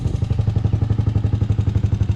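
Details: 2006 Honda TRX250EX after top-end rebuild (new cylinder) and fresh 10W40 oil: crisp, even single-cylinder thump at a steady fast idle, no knocks or rattles; engine sounds healthy, rebuild a success.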